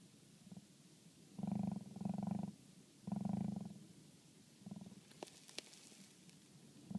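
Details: 2011 Toyota Sienna HVAC blower running: uneven bursts of low rumbling knock over the blower hiss, with a couple of sharp clicks, heard only when the recirculation button is off (fresh-air mode).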